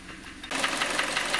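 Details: 2014 Kia Cerato 2.0, 166,531 km, consumes oil: engine catches then fast light metallic ringing rap over thin idle; piston slap suspected from scored cylinders, scuffing, crank bearings or pins to be checked by endoscope.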